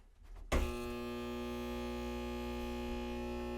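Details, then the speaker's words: Bathroom exhaust fan motor, blades spin freely: switched on, a loud steady electrical hum with a buzzy edge; suspected broken shading coil, cause unconfirmed; motor to be replaced. "sounds like we got a broken shading coil or something's wrong anyway so we might as well just replace this thing they're not worth trying to service"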